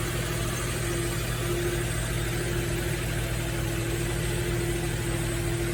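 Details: Nissan Fairlady Z Z33 (VQ35DE V6, automatic) at about 310,000 km, idling after a DIY engine overhaul: steady, unbroken idle with a constant low hum and faint steady whine, no knocks or misses; a healthy V6 idling.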